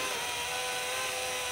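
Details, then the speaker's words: RCA CPR300 VHS camcorder (1987) under repair, test tape in: a thin, even motor whir with a faint steady tone and no firm take-up. The owner first suspected the pinch roller, but a worn, slipping belt won't drive the tape. "oh it's the Belt look hang on pause what and maybe that other belt look there we go so that's that I thought it was a pinch roller but I think it's just it can't that belt's no good in there or something"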